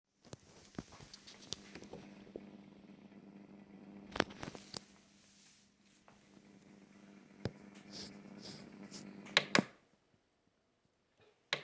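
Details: 1byOne nostalgic wooden turntable running with a steady low electrical buzz, broken by handling clicks and a brief silence; buyer later also complained of a wobbling platter.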